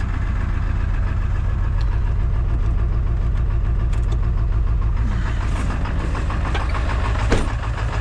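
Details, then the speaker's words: Powerstroke diesel just reassembled, cold start around -22 with weak battery: loud uneven chugging with irregular low knocking beat; rough grumpy cold running. "start this up it'll be a little grumpy oh yeah you can feel it can feel it stuff oh yeah she the grumpy"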